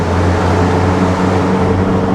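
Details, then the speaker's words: 1989 Nissan D21 Hardbody Z24 pickup, warming up, with a slight exhaust leak: a smooth, even engine drone while accelerating, no knocks. Shaking likely comes from the tires. "she winds up nice engine sounds good red yeah i think she just needs some tires guys"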